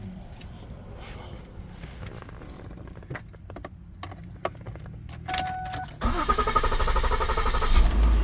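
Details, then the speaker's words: 2010 Ford Edge after starter replacement, before adding antifreeze: keys rattle, starter cranks briefly, engine catches promptly and settles into even run; normal start. "we have fire so we've done our job right we got the starter going we got it in so now we're going to pour the antifreeze in"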